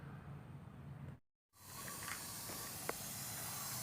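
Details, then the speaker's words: Isuzu D-Max 2005, A/C not cooling and compressor cut out, gauges reading 0 psi low and high side: a steady airy hiss with no engine running, refrigerant escaping at the evaporator pipe joint; O-rings to be replaced. "นี้นะครับได้ยินได้ยินเสียงชัดเจนนะครับเสียงรั่วออกม.คนี้เนี่ยกับจุดรั่วก็เหมือนกันออกทุกจุดนี้ครับ"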